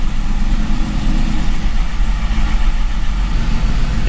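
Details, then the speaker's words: C5 Corvette Gen 3 LS1 V8 with a 90mm LS3 gold-blade throttle body, tweaked in HP Tuners with no wiring changes: on a cold start the deep rumble surges and wavers unevenly instead of holding steady; rough cold idle. "definitely didn't like that cold start for some reason so we'll have to kind of play around with that a little bit but"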